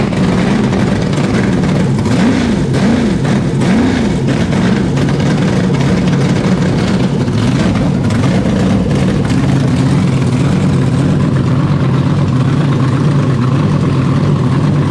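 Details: 427ci Dart LS Next 2 twin-turbo methanol race truck V8 on run stand, solid roller cam, billet internals, after fuel regulator and throttle blade adjustment, 70 psi base, small fuel hose leak. Lumpy loud idle blips sharply and settles cleanly, no misses or knocks; crisp, builder expects about 650 hp.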